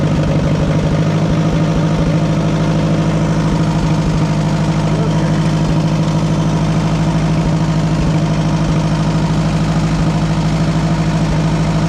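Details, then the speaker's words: Oliver 550 tractor engine, oil change uncertain, just fired right up before hydraulic pump replacement: steady low, even idle with a firm regular beat around three per second, no misses or knocks; normal idle. "thing fired right up. I'm impressed."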